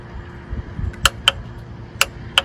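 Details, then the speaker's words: Mercury 25 hp two-stroke outboard in the water: key gives sharp clicks with no cranking; starter gets power and the solenoid is good, but the Bendix isn't engaging, so the starter is replaced. "you hear the 2 clicks. So that tells us the starter is getting power, but just not engaging the Bendix. That also tells us that our starter solenoid is still good."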